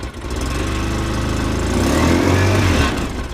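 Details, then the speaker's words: 2005 Polaris Ranger XP 700 EFI twin, new battery, cold at start, exhaust leak smoking: uneven lumpy idle with a brief light rev, shaking, may be running on one cylinder; suspected dirty TBAP sensor and throttle body, unconfirmed. "It does sound kind of strange, don't it? Yeah, it should sound a little smoother than that. But that could be them sensors too."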